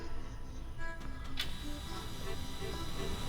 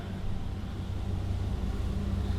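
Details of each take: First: Flooded, wrecked 2014 Super Air Nautique 230 surf boat engine on 93 octane, spark plug out checking spark: steady even cranking with no firing; no spark, distributor suspected. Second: 2014 inboard surf boat engine, flooded Copart rebuild after engine flushes, running on water: even deep rumble with steady beat, no misses, running cleanly.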